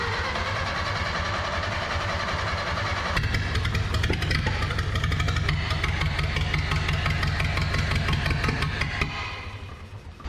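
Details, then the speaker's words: 1930 Ford Model A coupe, barn find last tagged 1964, running for the first time in 60 years: runs only with the choke on, lumpy and uneven, missing and sagging; carburetor (tagged as rebuilt) suspected poor, owner plans to swap it. "yeah you got to have the choke on for it to run so I think I'm going to go grab a different carburetor"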